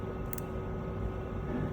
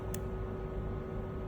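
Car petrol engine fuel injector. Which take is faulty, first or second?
first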